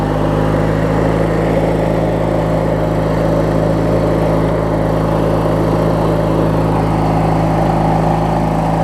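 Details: Craftsman LT1000 riding mower with a swapped-in opposed-twin engine, running after refueling and restarting; smooth, constant low drone with no misses or knocks; twin idles evenly, normal healthy idle.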